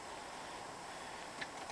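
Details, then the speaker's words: LS1 turbo one-tonner on E85: the fuel pump primes at key-on with the engine off, beside a new fuel filter. Quiet, steady hum under light hiss, with the blue solenoid clicking at ignition; no leaks, normal priming. "i go new fuel filter oh yeah you can hear the pump definitely no leaks there"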